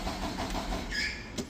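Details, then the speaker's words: Deutz engine on a Skyjack; with the fuel pressure sensor unplugged it cranks, but the fuel pump is disconnected, so even starter cranking never catches: crank, no start. "You have a crank, but no start. I'm going to show you why. >> [snorts] >> Cuz right now, I actually have the fuel pump disconnected."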